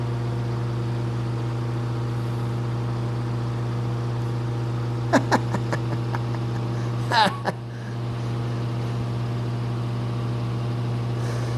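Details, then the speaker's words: Abandoned 1950s Hunter CG-16 industrial fan, sat partly exposed to weather, running again; steady low hum with even overtones and a couple of handling knocks, motor runs smoothly; normal fan running. "that's that's crazy well it's not crazy it's really not crazy you used to hear that sound all the time there those things running"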